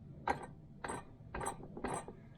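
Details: 1971 Triumph Stag gearbox supposedly refurbished, output shaft turned by hand: four dry ratcheting clatters about one every half second in second gear; worn gears, selectors sticking in gear.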